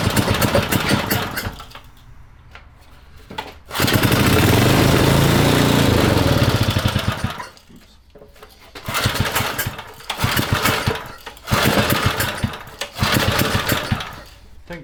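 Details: Vintage Briggs & Stratton generator engine for a 1970s mini chopper, bench-run before frame install to break in the crankshaft: sharp single-cylinder popping in bursts, revving up and dropping back between pauses, firing steadily with no knock; sounds healthy.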